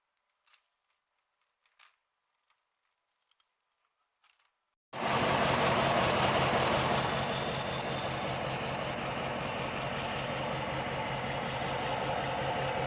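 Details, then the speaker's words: Rebuilt HEMI V8 Chrysler 300, compression all okay: engine fires and idles with a steady uneven stumble about three times a second; persistent misfire unresolved despite swapping plugs, injectors and coil packs. "I mentioned that we had a misfire right after we got the car running. I unfortunately haven't been able to rectify that misfire."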